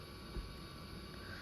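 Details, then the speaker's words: 1993 Compaq Contura 4/25 notebook hard drive after power-supply capacitor repair: a quiet, steady spin hum with a faint high whine and no clicks or scraping; the drive sounds healthy. "that drive sounds healthy it's pretty good"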